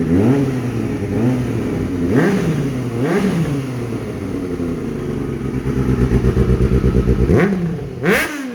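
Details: Kawasaki ZX6R streetfighter build after fuel pump problem resolved, exhaust sound at start-up: clean rev blips rising and falling smoothly, then settled even idle; healthy, no knocks or misses.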